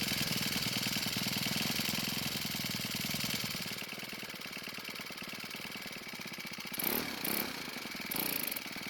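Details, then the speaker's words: Cub Cadet four-cycle trimmer with low compression of only 60 PSI still runs, a bit unevenly with a thin, light beat, showing it remains usable despite weak compression. "just because it's low doesn't mean you can't still use it and to prove it we're going to see how it starts and runs"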